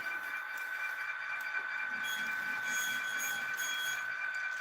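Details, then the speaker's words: HO scale model train car rolling on the layout: a high, thin steady squeak over the light rolling clatter; cause not yet found. "And yeah, that's another... You can hear that squeaking. That's another car I've got to get around to."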